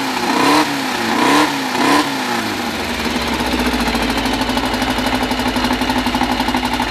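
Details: First start of a freshly built 2054 flat-four, carburettors barely adjusted, no final exhaust fitted: three quick throttle blips, then a loud, raspy but steady idle through an open pipe; fresh engine running evenly.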